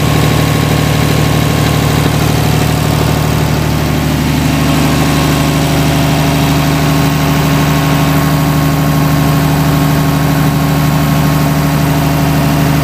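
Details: DC-control diesel genset with an actuator replacing the solenoid, speed controller awaiting the magnetic pickup (MPU) signal; steady, even low rumble at slow idle with no rise in speed; normal slow idle at start-up.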